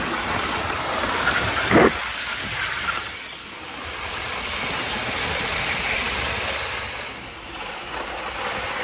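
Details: 1980s Hornby APT model train after a ringfield motor upgrade kit replaced its worn armature; an even rolling hiss and light track clatter with no stutter or grinding. Normal, smooth running.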